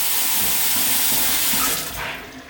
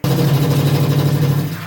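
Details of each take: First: Tap at full flow after re-tightening the tap washer assembly to fix hammering and shuddering: steady even hiss of water, no shudder or knocking. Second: Noisy tap: a loud, low droning buzz with a fast shudder, water hammer caused by a loose tap washer rather than loose pipes, fixable by sorting the washer.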